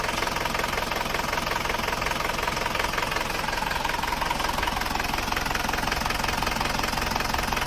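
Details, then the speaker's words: Panther diesel whose owner says it now runs rougher than before, with some smoke at start: sharp ticking about three per second over a steady idle, piston slap blamed on piston/ring wear beyond standard. "ini kondisi seker atau piston saat mesin itu sudah mulai bunyi tek tek tek tek tek tek tek tek tek tek tek hal itu disebabkan oleh benturan antara piston dan dinding silinder biasanya disebabkan oleh keausan seker melebihi standar"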